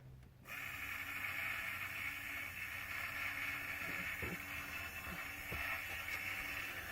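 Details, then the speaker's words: Smoke vent 90-degree door actuator on the bench, gear motor fed 24 V at 1 A max, gears partly exposed: steady, even high whir from the motor and worm drive with no catching or grinding; normal gear motor run. "you can see the worm drive's moving, it's rotating pretty fast. This gear's rotating pretty fast, and as it gets down through, by the time you get to here, the motion's pretty slow in comparison."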